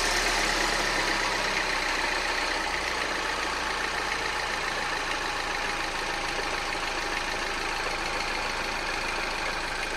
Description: My Peugeot RCZ emits a rattling noise after a cold start.